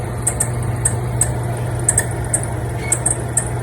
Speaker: Yep. There's the problem right there. It's too squeaky.